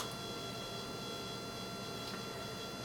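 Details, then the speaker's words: Faint, steady high-pitched buzz with fine ticking from airplane servos jittering on the bench, caused by the Naze flight controller's level P gain set too high, to be tuned in flight. "the level piece and you hear the servos buzzing cuz they're did you have the level Peas we'll have to tune when we fly it"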